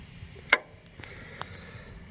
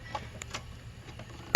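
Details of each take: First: Encore Fuzion mower, Kawasaki FR600V, no start, starter unhooked, battery good: two sharp single clicks about two seconds apart, no starter turning, test light shows output side hot; normal solenoid click, fault traced to a bad grounded starter. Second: Encore Fuzion mower with Kawasaki FR600V engine, no start: one sharp solenoid click and no cranking, on a freshly charged battery with good voltage and a working solenoid. It cranked slowly the day before. Diagnosed as a failed starter motor.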